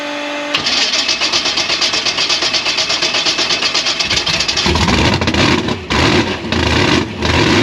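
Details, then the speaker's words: Gasser C10 carbureted race V8 after a jet change and linkage adjustment: catches and runs rough and lumpy with irregular pops and stumbles; popping on startup, owner suspects lean jets and may fit fatter ones. "If not, we're gonna have to swap back to some fatter jets, because that's the only thing that we can really think of at the time. It's causing it to pop and shut off."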